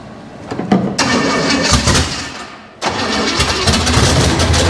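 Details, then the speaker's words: Junkyard 305 V8 on first start, lifters collapsed and still building oil pressure: cranks, catches, sags and nearly dies, then runs rough; stumble on throttle from an inoperative accelerator pump. "we definitely have no accelerator [Music] pump she got oil pressure it's not making crazy terrible noises"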